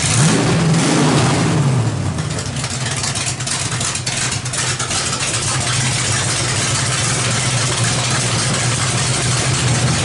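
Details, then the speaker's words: 350 small-block V8 with a cam fitted, freshly started on open headers; loud, deep, rasping blips up hard, settling back to a lumpy, even idle; strong and clean, sounds healthy. "uh I don't care Motors sound great with open headers there's there's just no two ways about it you know I had to rev the out of it just so you guys could see it you could hear it"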